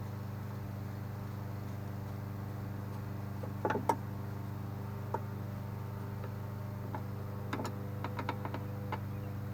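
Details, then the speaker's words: Husqvarna mower with Kohler engine that customer said wouldn't run: low, steady drone at even pitch with a few nearby clicks; engine fired up and running smoothly and healthy. "That Husqvarna still seems to be running good. I don't know why it wouldn't run for the customer, but it seems to be fired up and running good."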